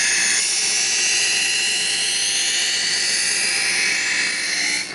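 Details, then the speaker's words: Chef's Choice Hybrid 220 electric knife sharpener, blade drawn slowly through the motorized slot with gentle pressure: even high-pitched grinding hiss of the wheel holding steady, then fading out; normal sharpening. "Bring the knife towards you slowly, and you'll hear the electric wheel inside of there sharpening the knife."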